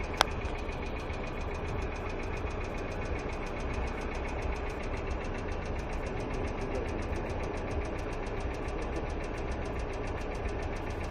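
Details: Hyundai Accent II idling quietly with quick, light, even ticking running steadily on top, a hydraulic lifter (lash adjuster) tick in the valve train.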